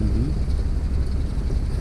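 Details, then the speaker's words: 50hp Mercury outboard on pontoon boat, after fix for rough idle and stalling: low steady burble at slow idle in reverse, below 750 rpm, running evenly without stumbling or dying; normal idle. "but it sounds fine yeah it it's not St no okay perfect"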